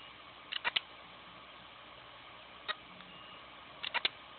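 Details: Seagate Barracuda 7200 750GB backup drive on a USB/SATA adapter, inaccessible after running two days and getting hot: sharp clicks in clusters of two or three with beeping over a faint hum as the heads retry.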